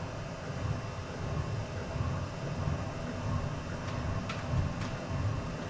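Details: Chinese diesel heater on a 50/50 gasoline and waste oil mix, restarted with the intake blocked after shutting itself off; temperature rising from 42°C. A low, even rumbling roar builds as the burner lights, no popping or sputter; lighting and burning normally.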